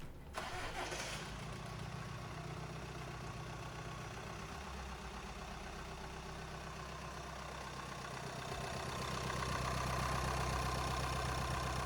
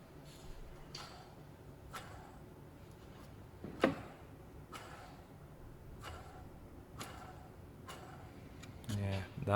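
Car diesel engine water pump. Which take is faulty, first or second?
second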